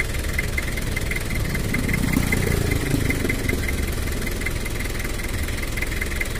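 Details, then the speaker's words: Toyota Kijang LGX diesel after cylinder head service and valve adjustment, injection pump just set: steady idle with even, moderately coarse clatter and no odd knocks, standard sound for this engine; normal diesel idle. "Oh ya udah Vera suara standarnya untuk Kijang LGX diesel enggak terlalu halus dan juga enggak terlalu kasar"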